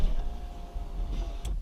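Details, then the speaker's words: 2004 Porsche Boxster 986 window regulator after repairing its scratching/grinding noise and retraining the window. Short smooth motor hum with a faint tick or two, then a clean stop, no scraping or grinding: normal power window operation. "look at that no annoying sound or anything okay"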